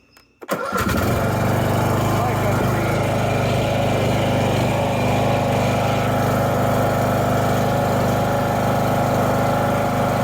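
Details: Husqvarna LTH 18538 lawn tractor after steering overhaul: engine fires right up and settles into a steady, even idle with no misses or knocks; clutch, blades and steering work normally, sounds healthy.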